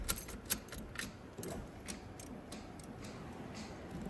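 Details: 1986 Pontiac Fiero GT that sat several years, key on and engine not running. Light, regular ticking about twice a second that fades after a couple of seconds: the turn signal flasher clicking normally.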